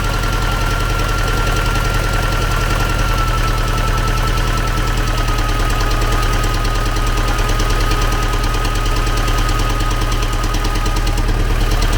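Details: T-40AM tractor diesel idling in about -14°C after a month standing, started with the manual throttle pushed fully open; dull irregular knock about twice a second under the firing, internal engine knock, cause not yet found.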